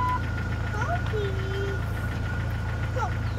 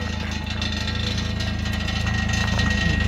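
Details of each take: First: 2000 Jeep Wrangler, 140,000 miles, idling: steady low rumble with even beat and some chirping; engine sounds healthy, any rattle is the exhaust. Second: 2000 Jeep Wrangler with 140,000 miles at steady low idle with a light buzzing rattle from the exhaust, not serious.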